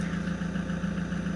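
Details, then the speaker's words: Common rail diesel engine in perfect working condition at normal idle rpm, rail pressure about 270: a steady, even idle with a smooth regular pulse and no knocks or misses, before faults are deliberately provoked. "and we have finally the rpm okay normal rpm for this engine"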